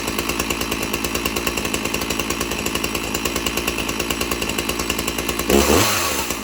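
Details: One of two free chainsaws, still holding up after months of use: quick, even two-stroke putter at idle with no misses, then a crisp rev. Normal idle.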